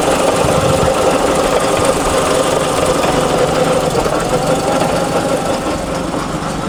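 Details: Mazda RX-7 FC rotary, manual gearbox drained with no oil coming out, at idle with slight throttle: metallic clang-clang about four times a second from the front gearset; transmission to be removed; manual transmission gear noise.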